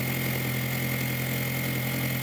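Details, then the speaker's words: 2002 VW Jetta 1.8T turbo with straight-pipe exhaust, after new diverter valve fitted: steady, even idle with a constant low drone, no hiss, flutter or surging, apart from exhaust backfiring. Sounds much better than before the repair. "Here, it sounds a lot better, except for the backfiring from my straight pipe exhaust."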